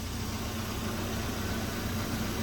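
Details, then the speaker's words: 1982 Volvo 242 Turbo (K-Jetronic), abandoned car just revived, idling with a constant airy hiss from the intake area; stumbles on acceleration and won't build boost; vacuum leak suspected, not confirmed. "uh I think it's got a vacuum leak you hear that kind of hissing noise from like the intake area that's what a vacuum leak sounds like"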